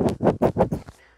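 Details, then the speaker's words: Salvaged wind-speed anemometer, bearing spun by hand: five quick gritty, grating rasps, then it stops dead. The ball bearing is corroded and failed, the main cause of the unit stopping. "oh that bearing's gone it feels really rough you might [Music] be able to hear it"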